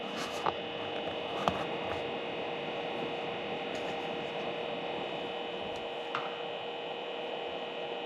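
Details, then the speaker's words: Stock fan in an OWC 4M2 enclosure, before replacement with a quieter fan: constant low-level steady hum with faint whine and no speed change; noisy cooling fan hum. "It drives me nuts. It's just a constant low-level hum. So, the constant low-level hum drives me nuts."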